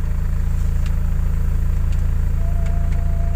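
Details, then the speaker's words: Old car after AC service with upgraded condenser, evaporator and Sanden 507 compressor: steady low idle, even pulse about 167 per minute, no knocks or squeals, AC running with idle-up raising rpm from 500 to 800; normal. "jadi ketika dinyalakan AC RPM ini masih naik RPM mesin naik jadi mobil ini sudah dilengkapi dengan idle up nah fungsinya idle up itu ketika kita nyalakan AC Rp mesin yang tadinya 500 akan naik menjadi 800"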